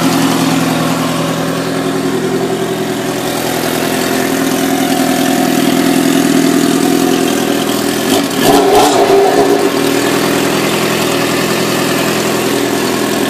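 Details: 1997 Suzuki GSXR 750, 19k miles: fast light ticking over busy four-cylinder idle, continuing through a quick throttle blip; owner suspects valve adjustment and cam chain tensioner needed, source unconfirmed.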